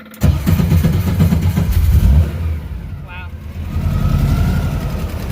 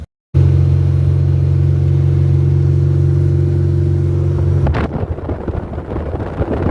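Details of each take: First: Custom-built air-cooled VW Baja Bug ("Dust Buggy") starting after the owner checked the oil and reseated the plug wires in the distributor cap over a suspected arcing boot; catches quickly into a strong, even low rumble, no rattle or stumble; a normal start. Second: Aircooled VW Baja Bug engine that overheated on one side and threw grease: starter spins with an even low whir, no compression chuffs, engine not turning at all; diagnosed as a broken crankshaft.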